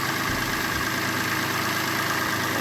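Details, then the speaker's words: Citroen C1 small petrol engine started after an oil, oil filter and spark plug service, checking for leaks: smooth, constant idle with an even hum, no misses, knocks or ticks, sounding much better than before the service. "sounds much better."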